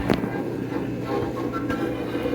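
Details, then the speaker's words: GE 78 RPM record player and radio combo with an old salt crystal cartridge: music over a steady low hum with sudden crackling jumps as the needle ricochets; the cartridge is believed shot and is replaced with a ceramic one. "That's just the needle ricocheting."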